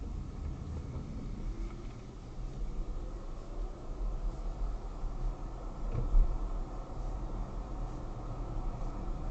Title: Polestar 2 suspension clicking noise after 2 attempts by Volvo to fix